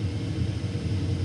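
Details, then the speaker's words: Lennox furnace calling for heat: a steady low hum as the inducer motor spins up evenly, with no rattles; a bad sensor was found. "See, it's on now. That's the inducer motor."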